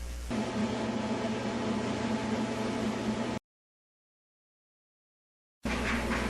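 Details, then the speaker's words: Whirlpool dryer after an object was removed from the blower housing and the blower cover reinstalled: a steady whooshing hum with no knocking or rattling, which is normal operation. "That was the way that you remove an object from the blower housing. And this is the way that the dryer should sound now."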